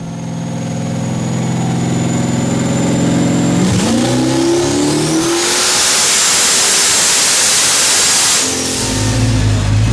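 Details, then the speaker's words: Same Firebird (6.0 L V8, S484 turbo, pump gas plus methanol) after fixing at least two bad cylinders, about 150 hp gained and clearing 750 whp. A smooth, clean climb to a screaming top end with no misses: normal full-throttle pull. "I could hear that nice Fireball like a subwoofer in the car we were clearing 750 pretty easily"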